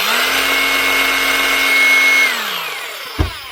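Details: New Hikoki DH40MEY2 brushless rotary hammer in rotary hammer mode: even motor whine with a steady high buzz, winding down smoothly when the trigger is released. Healthy.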